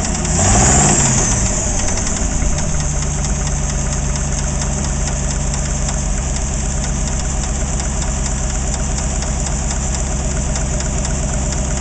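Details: AMC 360 V8 idling with a loose uneven knocking rattle, three to four raps a second; began knocking after overheating, the old oil is wet with no metal shavings.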